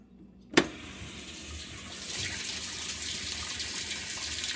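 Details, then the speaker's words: Whirlpool WTW5300SQ0 top-load washer after a new timer was fitted, filling with warm water on a small load, normal regular cycle: valve click then a steady, even hiss of water rushing in, a normal fill. "um water is coming in water is coming in right now nice and steady so yeah um this is warm this is this is warm water right now"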